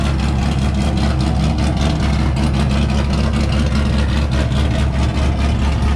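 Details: C5 Corvette Z06 with forged 408 stroker V8, decent-sized cam, no catalytic converters, tuned: loud deep steady idle with slight choppy cam lope, even firing throughout; normal, well-tuned cammed idle.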